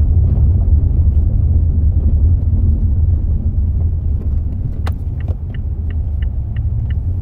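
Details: Mazda 6 driving on road: low rumble then sharp, evenly spaced squeaky ticks; knocking and squeaking from front strut bearing, reported to dealer for warranty fix.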